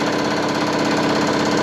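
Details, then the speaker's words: New Holland CX8080 combine hydraulic pump and hydraulic motor running in on a test stand after repair. Steady, even mid-pitched hum with no knocks, surges or grinding; normal pump running, checked in forward and reverse. "Сейчас еще раз. Так, гидронасос работает."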